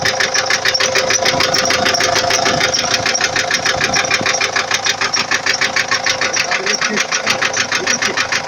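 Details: 2004 Ford Transit 2.4 TDI diesel at idle: a crisp, regular tapping near 200 per minute, clear over the engine; an internal engine knock whose source the owner does not know.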